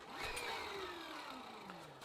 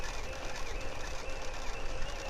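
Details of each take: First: 1987 Gazelle bike with Sturmey Archer Elite AT 5-speed hub and repaired Basta dynamo, readjusted to stop fender rub; smooth whirring whine falling in pitch as the wheel coasts in reverse; bumpy tire probably wobbles dynamo. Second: 1987 Gazelle bike with a Sturmey Archer 5-speed hub, test ride in forward pedalling: worn bottle dynamo gives a steady high whine over a continuous rattle and weak light; it sounds better turning in reverse. To be replaced with a rebuilt Basta dynamo.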